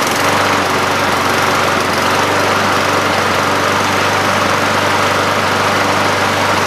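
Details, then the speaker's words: Junk single-cylinder mower after the handle-actuated stop mechanism was taken apart and reassembled. A steady, even buzz at constant speed with no misses, knocks or surging; it also dies when the handle is released, so it runs fine. "well it seems to run and it seems to die when I hit the handle so I'm gonna call that good"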